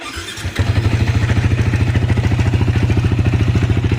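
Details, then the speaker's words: Sniper 155 VVA idling before acceleration: steady regular top-end clatter, about 200 a minute, suspected from the cam bearing or rocker arm/camshaft area. Engine to be opened for checking; cause not confirmed. "So ang tunog niya ah kadalasan is yung sa sniper, yung sa cam bearing, yung sa kanyang sa rocker arcam."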